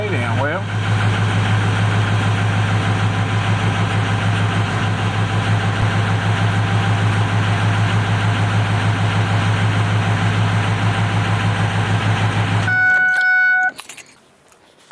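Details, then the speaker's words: Ford 6.0 Powerstroke diesel truck after turbo repair: slow, steady cranking at about three beats a second without catching; owner suspects a glow plug circuit fault, maybe a pinched harness. "But I'll show you what it sounds like, how it wants to sound when it's cranking."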